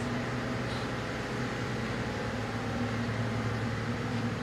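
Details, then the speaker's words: BMW N52 engine after cleaning both VANOS control valves and changing the oil that had made them stick: quiet, steady idle holding constant revs with no hunting or dips, where rpm previously rose and fell and it stalled with power loss. "Ayan siya guys. Ayan, permanent na ang kanyang anong tawag doon? RPM. Dati nataas baba yan guys, na ganyan."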